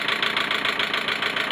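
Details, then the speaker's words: Car engine at idle, warm, after head gasket replacement, air filter off so louder; even light ticking about ten per second persists, none when cold; ticking at idle, cause unconfirmed. "Głośno chodzi, bo tu filtra powietrza nie ma jeszcze, to dlatego tak głupi, ale cykanie to już jest, kurde, no dalej jest to samo, no."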